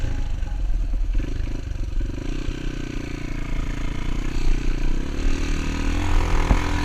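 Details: Honda XR200 single on its first test ride after a full transmission rebuild and other new parts: low, steady thump rises smoothly as it pulls away, no clunks or grinding from the gearbox; runs healthy, rider says everything felt smooth.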